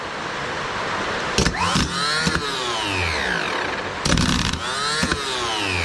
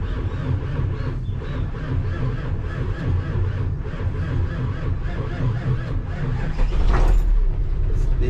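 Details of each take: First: Starter from a 1984 Nissan Diesel CKA50BT tractor truck (RD8 V8 diesel, 14.3 L), on the bench at 24 V after seized brushes were cleaned and the armature and reduction gear serviced: short whirring bursts winding up and coasting down, smooth; spins freely, normal. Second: 1984 Nissan CKA50BT tractor truck, RD8 14,313cc V8 diesel, after servicing a starter with seized brushes and burnt armature: slow, laboured crank at three to four beats a second under heavy rumble, not firing; still slow cranking.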